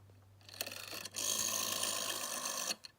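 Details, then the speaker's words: 1970 GPO 746F MK1 red rotary telephone by Dennis Ferranti Meters, dirt on dial back plate and finger wheel: dial whirs back for about 1.5 seconds with a dry gritty rasp; slow, scratchy return, needs servicing. "The dial's a bit scratchy sounding. It's a bit slow, so that'll need a bit of work."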